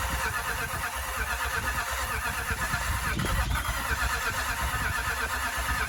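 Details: 2007 Range Rover 3.6 TDV8 turbo diesel, just fitted with reconditioned turbochargers after a blown turbo, boosted because the battery was low: uneven low chugging settles into a running engine under a steady hiss; normal start, warming up while intercooler oil burns off.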